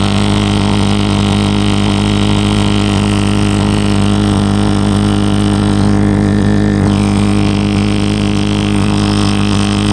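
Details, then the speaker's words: Lennox pulse furnace firing normally with its front cover guard removed after being lit with the cover held on: a loud, steady low drone with a fast, even throb and no stumbles or dropouts. "so i got it running i put this back on and held the metal cover over so that it could actually mix with that gas let's take this off here and then you'll be able to hear how loud it is"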